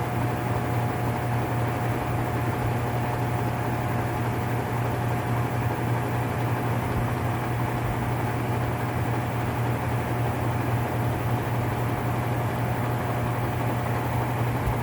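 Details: Whirlpool top-load washer (model 110…) with grinding complaint when motor runs, in manual-test high spin: steady low drone with rough, gritty growl; worn transmission gear assembly needing replacement.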